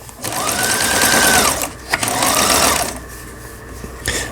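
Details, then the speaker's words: Lion Mising "Jelly" small sewing machine, after repair (it had stopped dead while sewing with jeans thread and would not stitch): even, quick whirring with steady needle rhythm, speeding and pausing cleanly, no knocks or grinding; internals repaired, upper tension adjusted, stitching normally. "여러 사람이 손을 대가지고 수리가 어려울 수도 있었던 라이온 미싱에서 판매한 젤리라는 재봉틀 수리를 마치고 박음질하는 영상이었습니다."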